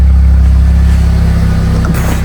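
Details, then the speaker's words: Fiat 500 after exhaust work and a recent head gasket replacement: steady, even low idle, quiet at the front with a slightly throaty note from the back, no puffing, ticking or hiss and no front leaks; normal healthy idle. "That sounds mad, doesn't it? That sounds really nice. Really, really nice."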